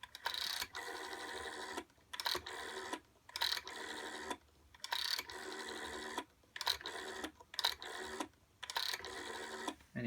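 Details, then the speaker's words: 1963 GPO 706 rotary dial telephone after oiling the dial governor, previously scratchy: quick, even whirring bursts as the dial returns, no scratch or drag; dial now runs smoothly. "anyway, that's what the dial sounds like. It's lovely and smooth now."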